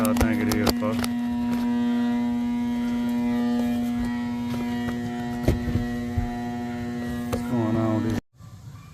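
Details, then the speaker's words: 2007 residential AC unit, very loud and not cooling. A loud steady electrical hum with no airflow for eight seconds while power reaches the motor. The blower motor is seized. "I got a feeling it going to be the blow motor though hope it's the cap but I don't know"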